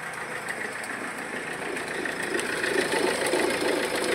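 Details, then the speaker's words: Mahindra XUV500 diesel, started in neutral at idle: loud regular rattle about three per second, whole engine vibrating; belt appears cut, owner suspects a bearing or tensioner, later found split belt tensioner. "आवाज कितना आ रहा है पूरा vibrate कर रहा घर घर घर घर और इसका शायद बेल्ट भी कटा हुआ है"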